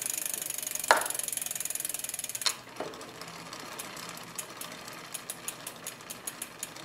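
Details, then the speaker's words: Bicycle front derailleur limit-screw adjustment, after backing off to stop the cage rubbing: one brief scrape, then only light, evenly spaced ticks of the chain meshing with chainrings and rear cogs, no derailleur rub; normal chain noise. "got rid of the rubbing then we still have some noise I'll be careful of noise because again change will make a level of standard level and of noise as the chain meshes against against the the chain rings or the rear cause"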